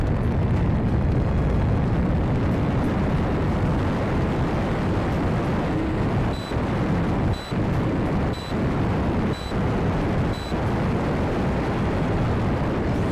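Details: Turbo Timber Evolution RC plane in cold windy flight, ESC moved forward for airflow, camera facing rearward: five evenly spaced high beeps about a second apart over wind and motor rush; warning of unknown cause.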